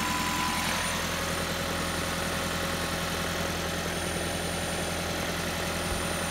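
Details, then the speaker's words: Toyota Prius C with AC not cooling, scan tool misreading pressure as high: electric AC compressor running near target speed gives a steady, even hum at constant pitch with no rattles or grinding; compressor normal, fault is a sensor rather than a leak. "you can hear the compressor running this isn't a leak this is a sense of failure"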